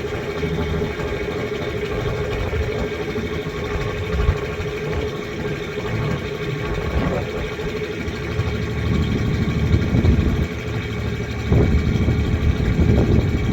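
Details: 1993 Ford Ranger 3.0 V6 idle pulse lumps and stumbles unevenly; one cylinder dropping out, misfire at idle while hunting for it, owner suspects cylinder 3.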